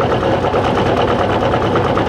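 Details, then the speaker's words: Mini milling machine cutting a T-nut for a cross slide table from very hard iron with cobalt cutter and oil: fast buzzy rattling chatter as the cutter fights through. "But I can tell you straight up, even though I'm using cobalt and I'm using oil, this is not easy iron to machine."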